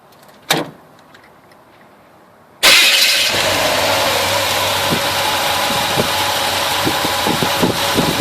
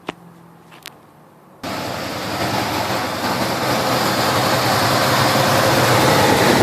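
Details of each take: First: 1971 Chevelle 350 V8 after chasing a persistent misfire (No. 1 plug was wet), fixed by readjusting and swapping carburetor parts: engine cranks, catches cleanly and settles into a steady, even idle with no miss or stumble. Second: 1971 Chevelle 350 V8 misfire: lumpy idle with a regular stumble about three times a second; after replacing parts, number one spark plug still wet, others firing; zero compression on cylinder one, one cylinder dead.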